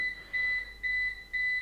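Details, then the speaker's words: APC Back-UPS BX750MI on battery power after mains loss, reaching its remaining-runtime state: fast, steady high-pitched beeping about twice a second with faster-blinking LED, low-battery alarm warning that power will soon be lost. "schnelles Piepen man sieht's und man hört's auch ne also die LED blinkt jetzt schneller man hört das Piepen also ich gehe davon aus dass wir jetzt gleich unsere Spannungsversorgung verlieren werden"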